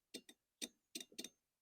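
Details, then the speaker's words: Stiga Combi 53 SEQ lawnmower electric-start repair using a cheap relay and a temporary switch: a few sharp, crisp clicks in near silence as the relay switches on when the circuit closes; relay working. "so when I put this together you can hear the relay"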